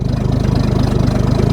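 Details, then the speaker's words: Ford bullnose truck, 300 cu in inline six, after swapping the one-barrel carb for a two-barrel; after a cold start needing choke work, steady even low thrum at a slightly low idle (better than 1100 before), no misses; normal idle. "Imagine that. Right on. The idle's a little bit low, but that's all right. It's better than idling at, 1100 all the time."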